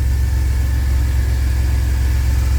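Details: 2000 Chevy Astro V6 idling at about 830 rpm after an intermittent crank-no-start and stalling while driving; the scan tool points to the crankshaft position sensor, and the transmission also slips. Smooth, even low rumble with no stumbles, misses or dips.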